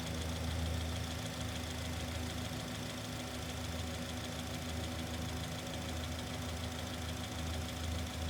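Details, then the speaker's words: Microphone placed next to the barrel of one fuel injector at idle during a lab-scope noise diagnosis; fast, even ticking of about four per second with no irregular knocks, normal injector noise. "i want to put this next to the barrel of fuel injector okay that's just normal noise"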